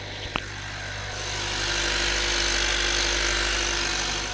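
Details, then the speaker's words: 2025 Honda Accord after turbo leak repair, at idle: quiet, steady, smooth hum with no hiss or whoosh from the intake side; no audible leak, sounds healthy. "Let's start it up. Oh, wow. Man, that sounds quiet. Listen to this, guys."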